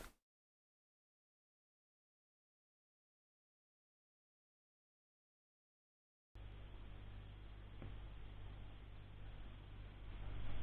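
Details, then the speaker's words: Razer Blade gaming laptop powered on before teardown: silence then a steady low drone with a rough, gritty undertone from the GPU fan, whose bearing has gone; fan to be replaced. "in this video we're going to be replacing the GPU fan um because that one seems to be a little bit noise in the baron seems to have gone on it"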